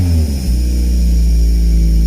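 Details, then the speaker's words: Toyota MR2 just started after a fuel tank system fix, in neutral: very deep, booming drone at steady idle, too deep to be normal; owner suspects an exhaust leak, with smoke and steam seen. "don't think this is normal man it's too deep"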